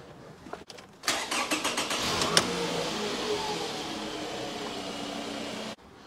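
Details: Petrol engine with 252,000 km, started after an ignition coil was reseated during misfire diagnosis: it cranks about a second, catches cleanly and settles into a smooth, even idle.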